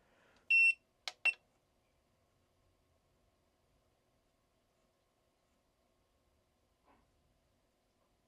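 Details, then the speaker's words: PS5 Digital EDM-030 motherboard that only beeps with no power: the meter gives a steady continuity beep as probes touch a capacitor to ground, and the part isn't getting warm. This is a shorted capacitor; the board also had a blown fuse. "I don't feel it getting abnormally warm, but it's definitely short cuz this one."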